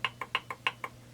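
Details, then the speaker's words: Stihl MS200T chainsaw during teardown: six sharp clicks about every sixth of a second as the bare crankshaft is rocked by hand. The seal leaked bubbles under test; worn crankshaft bearings, so new bearings and seals are needed. "that still seems to hold this seal has leaked tiny little bubbles and the shaft has some play in it you can hear that so up and down"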